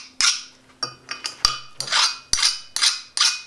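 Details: Axe forged from a truck leaf spring, file test on the hardened edge: sharp, high, glassy ringing skids about twice a second with no bite, unlike the duller tearing sound on mild steel; the edge has hardened properly.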